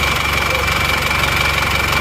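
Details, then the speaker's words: Isuzu Panther LV Adventure diesel whose owner complains it runs rougher than usual though it doesn't blow by: steady idle with a harsh clattery roughness and thin high ring, noisier than normal; rough diesel idle, cause undetermined, teardown needed. "Oke teman-teman sudah sampai di bengkel ini memang suaranya agak suara kelek gitu ya Jadi kurang halus memang saya mesin kurang halus ini"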